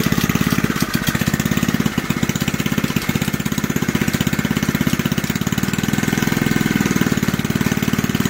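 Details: Junkyard Briggs engine on an old reel mower, just revived and running with the throttle about one third above idle; a loose, busy rattle rides on each firing pulse, and the owner blames the old recoil starter for the racket.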